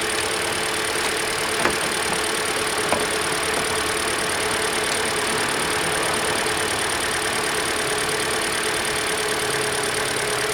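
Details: 2013 Hyundai Elantra, just over 60,000 miles, after alternator and serpentine belt replacement: smooth, even idle with a steady hiss and no belt squeal or chirp; battery voltage now changes after starting, so charging appears normal.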